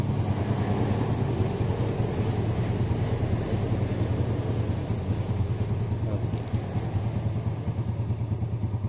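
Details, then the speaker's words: Yamaha Jupiter Z motorcycle after fixing poor idle, hard starting, black plug and high fuel use: idles on its own with a steady, even low putter, no stumbling or stalling; starts with one kick. "ngomong tuh udah gak mati-mati lagi kayak tadi ya berlangsungnya juga stabil"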